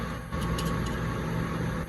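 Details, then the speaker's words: Duke multi-cabinet refrigerated drawer cooler, 120 V supply, after electrical repair with pressure sensor cutting out at 425: on re-plugging, fan, solenoid and compressor start and hum evenly with no rattles; normal running. "re-plug her in and then we can let her safely run there she goes fan solenoid compressor all right"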